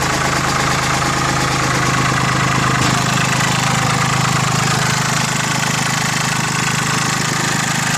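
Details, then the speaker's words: Mitsubishi MT205 compact tractor, 3-cylinder diesel, about 800 hours, new battery: steady, even diesel clatter at idle with constant low throb, no misses or knocks; no smoke from exhaust; normal idle. "Here it sounds really good. There's the exhaust. No smoke blowing out the exhaust."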